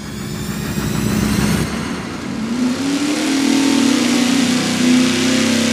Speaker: wow that's pretty good yeah basically started at uh 67 spiked up to 68 and worst case scenario was 6'2 and finished at 6'4